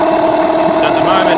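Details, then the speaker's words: Yamaha 15hp outboard with rebuilt power head, during carburettor tuning: steady idle with an uneven, slightly kicking beat; idle mixture running a little lean, so the idle mixture screw is wound out slightly. "it's running a little bit lean. It's kicking a bit. So, wind it out a slight amount."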